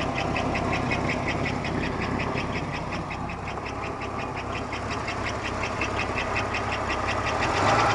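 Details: 1991 Buick Park Avenue 3.8 L V6 at idle, hot or cold, noise unchanged with accessory belt removed, for about half a year: sharp ticking knock three to four a second, performance and oil pressure unchanged; source not found.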